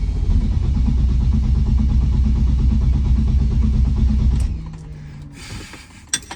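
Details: 1977 BMW 320i, old car just bought and being driven: steady running with a low rhythmic beat, then it suddenly dies around four and a half seconds; a stall, cause unknown.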